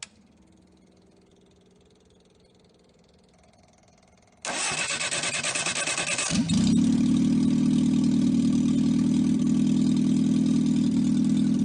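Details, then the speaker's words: 1954 MG TF engine out of the car on evaluation, no muffler: short crank, then a loud, even, steady run with no knocks or misses. Oil pressure 50 psi at idle, compression 162/157/157/156; healthy, no rebuild needed. "i'm going to run it for you for a few minutes let you hear it run does not have an exhaust muffler so it's a little loud"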